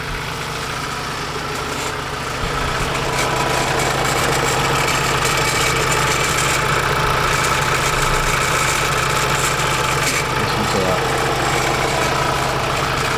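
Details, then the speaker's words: Ford Transit Custom diesel at idle, oil pouring out of the exhaust with smoke: steady rattle with a thin, wavering whistle; catastrophic turbo failure with the bearings gone. "I've got it back and it's pouring oil at the bottom of the exhaust so it's more than likely a turbo but let me show you the smoke you can hear the bearings on the turbo though"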